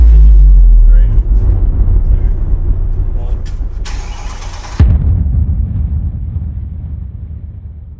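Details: Mercedes C63 AMG Edition 507 V8, after fitting another car's ECU and doing personalization: starter whirs, the engine catches with a sharp bark, then settles into a deep, steady idle that fades as the revs drop.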